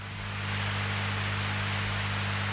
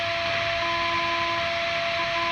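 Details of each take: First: Transformer-based guitar pedal power supply under noise test: quiet steady mains hum with a faint hiss behind it, even and unchanging; normal low noise. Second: Line 6 Relay G70 on an isolated pedal power supply: steady high buzz and whine with hiss, rising each time the LED switches on and off; ground loop.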